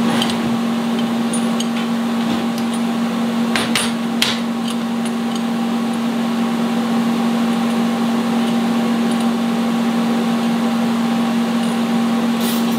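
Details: Vulcan ProTIG 200 welder, AC TIG tacking aluminum at 75 AC balance: steady buzzing hum with crackling hiss and sharp pops as tacks strike; even, stable normal AC arc.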